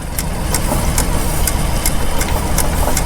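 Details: Rare Caterpillar Gasoline Fifty tractor, serial 5A1056: crisp ticks two to three times a second over a steady, lumpy idle from the magneto clicking. Normal magneto clicking.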